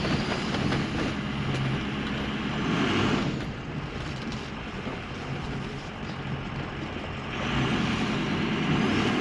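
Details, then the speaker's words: Ford 6.0L Powerstroke, brand-new engine still in break-in, at wide open throttle with faulty exhaust back-pressure sensor reading low: pulls but lacks the classic 6.0 turbo bark, flat and laggy, making only about 23 psi boost instead of more. "So, if you notice that this truck did not make the classic iconic 6.0 bark that it's supposed to, out wide open throttle, and it should be."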